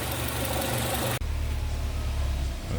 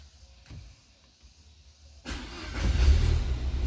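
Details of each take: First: Peugeot 307 SW four-cylinder after antipollution/vacuum leak repair: steady, even low idle, all four cylinders firing evenly with no misfire; MAP now normal at about 390 at idle, normal idle. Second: Peugeot 307 SW with antipollution fault, mixture regulation code, MAP reading 499 mbar at idle versus 350–390 spec: quiet, then cranks and catches into a lumpy, uneven low idle; head gasket blown between two cylinders.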